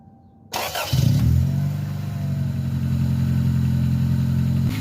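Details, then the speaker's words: Car exhaust leak at a failed welded mounting bracket, repaired with QuickSteel ThermoSteel cured about 24 hours: engine cranks, catches and settles into a steady idle with no puffing or ticking; no leaks so far. "so far so good i don't hear any leaks i don't feel any leaks see if it'll handle some revs under pressure"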